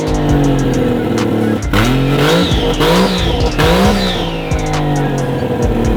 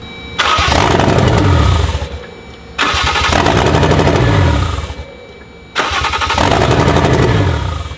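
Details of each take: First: Toyota 1JZ-GTE swapped into a Lexus IS300, running after wiring troubleshooting; only the last part of throttle travel responds (owner suspects throttle relearn needed). Engine fires and revs cleanly, rising and falling with throttle, settling to steady idle; normal running. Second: Lexus IS300 with a 1JZ-GTE swap, started by feeding 12 volts to the starter trigger wire: three tries where it catches, runs rough for a second or two, then dies; suspected loss of ignition or fuel.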